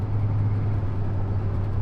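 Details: 1969 Ford F100 with a budget turbo, idling after the carburettor transfer slots were opened up (previously too far closed): steady, even low rumble with no stumble or hunting. Smoke later returned, and the number five plug was oil-soaked.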